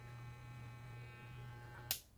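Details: Hair clipper with a faulty power switch: steady low motor buzz abruptly drops out with sharp clicks, then briefly kicks back in; worn, burned switch contacts losing connection.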